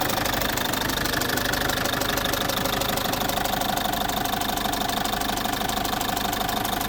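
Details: Citroen C5 2.0 HDi 100 kW diesel at idle: loud, with a fast, steady tick over a harsh clatter. The owner suspects the area around the injectors but is unsure; all four injectors were repaired 15,000 km earlier, along with new piston rings, valve repair and new valve seals.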